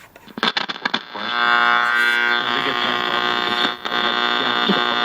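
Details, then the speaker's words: Radio bought at an estate sale: a loud, steady buzzing hum and crackly hiss swamp the station while tuning, clearing up somewhat as it is tuned; outside electrical interference is suspected. Hum and noise in reception. "Actually, it's clearing up as I'm tuning it. But there's no, I mean, you can't even try to listen to anything with all that noise."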